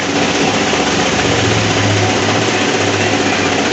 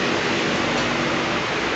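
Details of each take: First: Mercedes Smart, running with the A/C switched on: loud rough whirring roar with low hum from the front; suspected broken A/C condenser electric cooling fan rather than compressor. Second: Mercedes Smart after replacing the radiator electric cooling fan that made a strange noise with A/C on: fan runs with steady even airflow, no rattles or scraping, coolant at 78 degrees.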